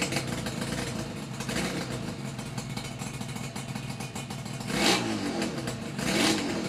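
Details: Yamaha RD350YPVS F2 two-stroke twin after full rebuild (all bearings, seals, rebore); plugs were loose on first run. Revs cleanly with two sharp throttle blips near the end, crisp pickup, no knocking or rattle. Normal revving, quiet engine.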